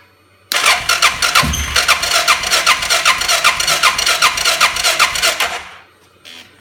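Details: 2005 Suzuki King Quad 700 ATV with Copperhead VDI aftermarket ECU, starting problems since install: even cranking about 2.5 beats a second for five seconds, never fires; crank no start. Owner blames ECU; maker blames charging system, battery dropping to 8V.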